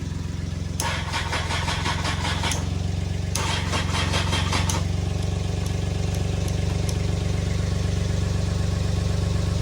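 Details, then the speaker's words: 2002 Honda CBR900RR Fireblade four-cylinder, revived after sitting for months with basic cleaning: fires and settles into a strong, steady idle with a slightly lumpy cam-like edge; no knocks or misses, sounds healthy. "but for a 900 it sounds pretty nice when you first start it up it has a little cam to it"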